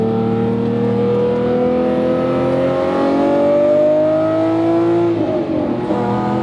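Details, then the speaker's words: Lamborghini Murcielago V12 back on the road after repairs (loose bleed screws, new shift position sensors) with a rear-wheel-drive swap: smooth, clean rise in pitch as it revs evenly, no knocks or misses. It sounds healthy. "oh that sounds good and I can't see anything out of this car"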